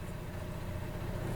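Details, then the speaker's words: Xplorer van roof AC on generator power, fan cycled through low, medium and high: a steady low hum with an even rush of airflow, no rattles or scraping; the blower runs normally. "okay so the fan is running Media low medium high and I rise"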